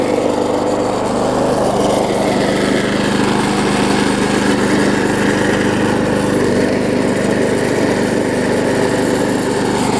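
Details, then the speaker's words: Bolens self-propelled mower engine after regapping the ignition coil to the flywheel to restore spark: starts on the first pull and holds a smooth, even single-cylinder buzz with steady speed, no misses or surging; normal running. "so I can hear it does run good and start it up on the first pole which is always a plus"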